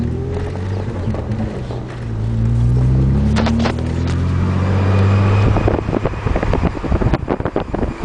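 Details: 1998 Nissan Maxima SE 5-speed makes a low, buzzy whine like a toy RC car motor, rising and falling with road speed at low speeds.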